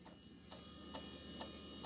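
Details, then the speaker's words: IBM 330 450 DX2 PC running Windows 95: the 3.5-inch floppy drive gives sharp mechanical clicks about every half second over a faint hum as it slowly reads a picture file. Normal reading. "hear it clicking it's reading mechanically it's reading that uh floppy disk"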